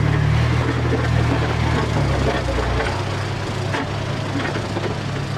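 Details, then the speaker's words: Old vibratory roller, revived after about 20 years unused, twin-cylinder diesel giving a steady low even thump while compacting gravel on a rough driveway, pulling cleanly; it crushed bigger rocks and packed the surface down. "so that's a really good job it's crushed a lot of the bigger rocks and um sort of packed it all down so yeah it's good"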